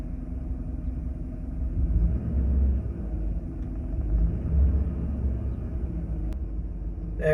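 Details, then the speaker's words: 2011 Chevy Silverado 5.3L V8 with DOD, P0307 code: low, lumpy idle stumbling unevenly every few seconds with a shaky RPM needle. Cylinder 7 misfire, not fixed by the first attempt; plug and wire replacement is next. "See if it dances around here a little bit, but it's pretty uh it's pretty shaky."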